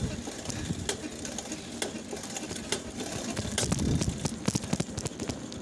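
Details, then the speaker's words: Soyuz 24K bicycle ridden around the neighbourhood: irregular sharp clicks and knocks over quiet riding noise, coming with the pedal strokes; a pedal catching, a quirk of this bike. "Нет, он просто педалька цепляется. Особенность моего велика, цепляется педалька."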